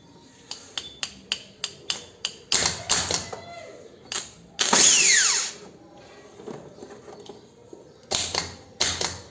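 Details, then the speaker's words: Chevrolet Celta starter motor on the bench after overhaul, with new brush holder and greased planetary gears, run from a battery and cable; brief high whir that winds down smoothly, starter spinning freely, normal operation before refitting to the car. "carga Agora sim está funcionando balinha vou instalar ela no carro e já volto"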